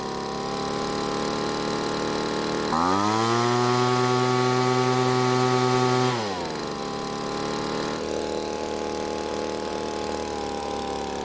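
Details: Poulan two-stroke leaf blower after an engine teardown, idle screw backed out so it idles: settles at a steady idle, jumps to a clean even high rev, then drops back smoothly; normal running.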